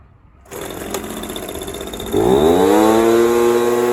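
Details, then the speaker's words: Echo PB230LN handheld blower that previously wouldn't rev, now with an aftermarket fuel pump diaphragm kit, fresh fuel and new purge hose, choke off: it starts and climbs cleanly to a steady high rev, good throttle response, normal revving. "Good throttle response. Everything sounds good."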